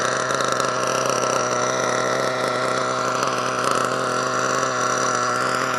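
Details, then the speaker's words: HPI Savage nitro truck with HPI 4.1 (41) engine, cold just after starting: loud, raspy, high-revving idle burbling slightly unevenly; owner thinks it is running a little rich and lets it warm up. "she's a little Rich she's a little Rich uh well we'll just let her warm up what's she feeling like yeah she's cold still still"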